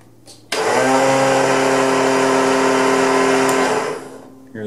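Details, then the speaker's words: Craftsman zero-turn mower trying to turn over: steady high whir from the starter with no cranking or firing underneath; starter spins freely, probably not meshing with the flywheel. "so here's the craftsman zero turn i'm gonna try to get it to turn over but if you listen real close you're just gonna hear it"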